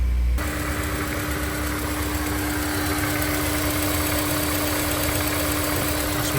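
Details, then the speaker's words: Honda S2000 after injector work and fuel line reconnected, hoping to fix stalling: steady, even, smooth idle, no chirp, squeal or rattle from the pulleys; normal idle. "Seems pretty smooth. Let's let it run for a little bit."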